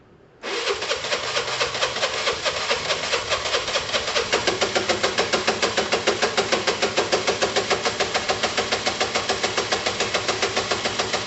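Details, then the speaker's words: Yamaha TMAX 500 scooter, started for test ride: engine catches and settles into a heavy, lumpy beat of about 3.5 pulses per second; owner thinks engine is shot, possibly whole engine not just top end; rough running, cause unconfirmed. "um yeah even if it starts that engine is shot i think i think you can kind of hear it it's very heavy"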